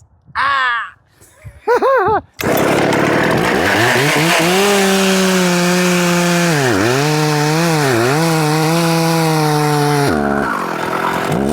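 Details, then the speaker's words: Husqvarna 266XP two-stroke chainsaw, restored resto-mod built from mostly OEM and NOS parts, owner suspects bottom-end bearings; revs high and bogs repeatedly as it loads in the cut, slow to bite and labouring. The brand-new chain is dull, though no dirt was hit. "That is it. That chain is dull. Um I wonder what caused that. I didn't hit the dirt."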